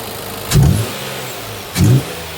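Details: 2020 Infiniti QX60, 95,882 miles, with prior oil consumption, misfire P0300/P0304 on cylinder 4 after replacing filthy plug: low, smooth idle with two throttle blips settling evenly; all cylinders contributing.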